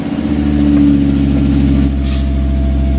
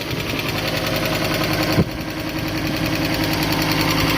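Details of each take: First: Water-damaged Fiat Stilo Abarth after installing new NGK BKR6EZ spark plugs and coils, engine fault still stored, warming up: steady even low idle, constant hum, no misses; a ticking sound is noted. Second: Neglected, water-damaged Fiat Stilo Abarth petrol engine, stood still for a very long time, low coolant, warming up: fast even tick, two to three per second, over steady idle; suspected sticky hydraulic lifters.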